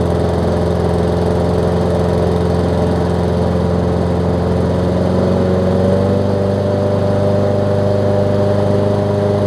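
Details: Small-engine mower from a used lot, first one tested: runs steady and even at constant speed, no misses, knocks or surging; sounds healthy, no carb kit apparently needed.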